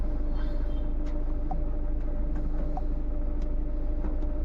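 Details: Tata Nexon diesel after a wiring repair that cleared a cylinder 3 injector fault code causing misfire, vibration, pickup drop and the check engine light: an even diesel clatter at steady idle with no stumble or shake, all cylinders firing, problem solved.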